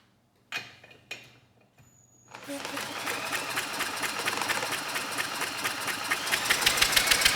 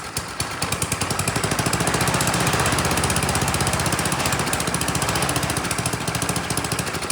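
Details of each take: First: Troy-Bilt Storm 10030 snowblower, Tecumseh HMSK105 engine, long neglected: engine spun fast by a drill with even compression puffs but never fires, no spark seen; bad ignition coil suspected, coil ground to engine still to check. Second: Troy-Bilt Storm 10030 snowblower, Tecumseh HMSK105 engine, long neglected, started with starting fluid: small single-cylinder engine firing in a steady, quick popping rhythm and holding speed evenly; normal running.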